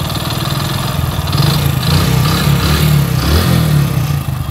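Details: Hero HF Deluxe single-cylinder bike, odometer 43,000 but about 80,000 km actual, before rebuild: light uneven tapping about four knocks a second over the idle; worn crank, rod bearing knock, engine then opened up.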